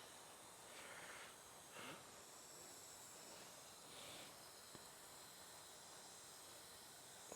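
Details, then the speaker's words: 2000 Honda Foreman 450 ES engine out on leak-down test, 30 psi in, holding only 20: quiet steady hiss of air escaping past the exhaust valve; crud on valve suspected; leak-down past exhaust valve. "here I'm putting 30 psi in here and it's only holding 20, so it's leaking down 10 psi. I can hear it in the exhaust valve."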